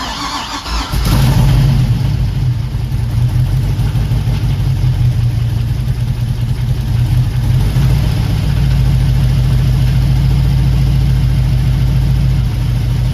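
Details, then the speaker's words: 1961 Mercury Comet with an LS V8 swap and Haltech ECU, first start in 26 years, cooling fan not installed. Catches after a brief crank and settles into a steady, deep, even idle with light revving; sounds healthy: normal running. "all right I'm happy it sounds healthy we are going to turn this off now"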